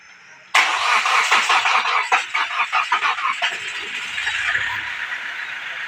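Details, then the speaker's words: Car being started after repair work, with air being bled from the injectors: a few quick cranking beats, then it fires on the first crank and settles into a steady, even idle; normal engine start. "Finally મિત્રો ગાડી ચાલુ થઈ ગઈ છે. આપણે કીધું હતું કે એક સેલ્ફે કરી નાખશું, તો એક સેલ્ફે ગાડી ચાલુ થાય."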